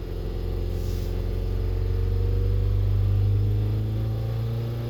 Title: VW Sharan P0303. Cylinder Nr.3. misfire